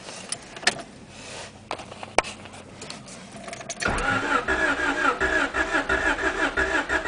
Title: teine käivitus, crank but no start